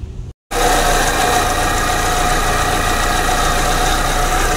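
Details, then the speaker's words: Proton Persona Campro, owner complaint of hesitation: coils lifted one at a time to check spark with engine running; rough uneven idle with irregular stumble; misfire from weak spark on cylinder 1. "Kru aku dah buka plug koil sebab kita nak angkat koil satu-satu kita nak tengok dia punya api plug coil takut ada mana salah satu plug coil mati ke apa pun boleh jadi"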